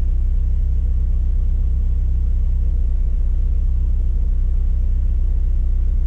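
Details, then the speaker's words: Mazdaspeed3 right after spark plug replacement (plugs torqued to 20 Nm): starts right up into a steady, even, smooth idle with no knocks or misses; normal idle. "you know obviously the last thing to do is start it up you can see it started right up and idle is nice and smooth so that's how you can know that everything was done properly"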